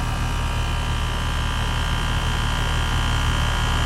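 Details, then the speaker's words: Home central AC outdoor unit after replacing a failed dual-run capacitor, cool morning: steady fan whoosh over a low, even compressor grumble with faint electrical hum; both fan and compressor now running normally. "you hear the two distinct noises one is the fan and then you can hear the little growl or Grumble of the"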